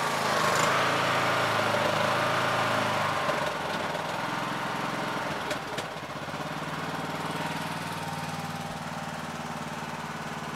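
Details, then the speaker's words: Yard Machines MTD lawn tractor, 20hp Briggs single-cylinder OHV, after magneto bypass; throttle lowered, dropping from a busier note to a steady, even lower hum, charging at 13.67V: normal running at low throttle. "the throttle because it's a 20 horsepower you know so here lowing the throttle takes it to thirteen point six seven so we know it's charging"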